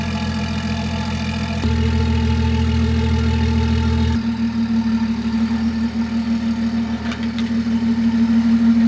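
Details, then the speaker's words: BMW X5 bought off Facebook Marketplace, owner believes it is already downpiped and tuned: first cold start, settling into a steady, deep idle with throaty exhaust drone and even pulses, no knocks or ticks; normal healthy cold start. "we're going to go ahead and start it up right now and get that first cold start"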